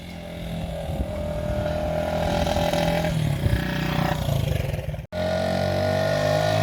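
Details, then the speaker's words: 1975 Honda XL100 K1 single, on its first ride. Uneven, hesitant pull under throttle, briefly cutting out and picking up again. A little choke cures the stuttering, so the owner thinks it wants re-jetting: lean mixture. "just put a little bit of choke on it so you can drag a bit more fuel and that's sent to a cure this stuttering [Music] so i think it just wants rejecting"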